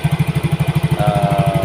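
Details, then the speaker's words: Yamaha Mio GT injected scooter, new injector fitted, idling after CO trim cut from 15% to 7%, which had given 2000 rpm. Even, steady putt-putt with no misses or hunting; clean, normal idle. "Nah, kita lihat untuk CO yang tadi kita kurangi, kita dapat RPM di berapa. Setelah kita tadi merubah CO menjadi 7% yang sebelumnya di angka 15%."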